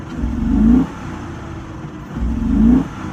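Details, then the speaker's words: Engine started, possibly water in tank: uneven lumpy idle with throttle blips, hood shaking as engine rocks; running rich (system too rich bank 1 code, evap code), owner suspects fuel pump, others suggest O2 sensors. "see do you hear it you see the hood shakin Itron so rough it's shaking like the whole engine's moving back and forth real hard idols are rough"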